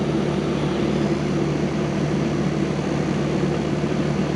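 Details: 1999 Rheem 2.5-ton R22 condenser, cleaned, on a piston coil; 30°F evaporator, 7.4 superheat, about 65°F outside with no heat load inside; contactor needs replacing: constant fan whoosh over a steady low compressor hum, no rattles or squeals; running normally.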